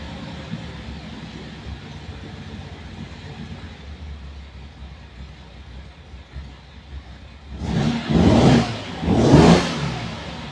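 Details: Ferrari 365 GTB/4 Daytona Spider V12 idling with an uneven, lumpy exhaust beat before two quick throttle blips; a misfire, with cylinder exhaust temperatures all over the place, from 36 to 91 degrees.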